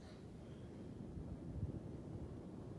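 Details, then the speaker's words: Furnace return air grille after a reed-effect noise fix (grille louvers carefully opened up): only a soft, low, even whoosh of air with no buzzing or reedy tone. The return is now quiet. "she as quiet as a mouse now funny thing about it the old man who showed me that trick really wasn't a heating and air guy anyway"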